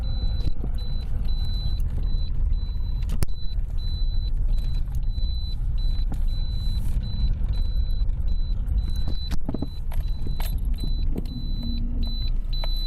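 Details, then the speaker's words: Lada Priora knocks over small bumps; the owner suspects the steering rack, which was never adjusted and would not tighten, though the stabilizer was also suspected. Dull irregular thuds over steady road rumble, sharper on small bumps. "ну вот слышно было очередной стук такой нехороший сейчас полезем смотреть будем выяснять что у меня стучит и так где же у меня стучит появился стук застучало меня рейка скорее всего"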